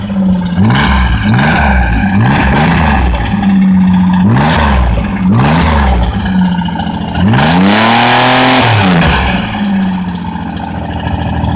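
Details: 1982 Camaro 2.8 GM V6 revved hard again and again, well past redline: a harsh clattering rod knock rides on each high-rpm surge.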